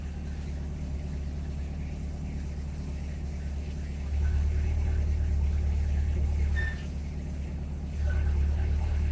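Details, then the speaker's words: Chevy C8 Corvette after 10 months, while cruising: deep exhaust drone jumps louder, drops back, then rises again as it switches modes; owner suspects the NPP exhaust valve/flap, not AFM V8-to-V4, unconfirmed. "it going between modes. That tells me it's the NPP and not the AFM V8 to V4 mode."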